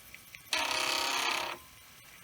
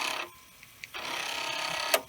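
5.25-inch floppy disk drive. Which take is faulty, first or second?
first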